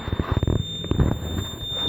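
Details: 1999 Lexus GS300 with 257,000 miles, no brake assist and warning lights on; engine running with a continuous high-pitched electronic beep, the ABS low accumulator pressure warning buzzer.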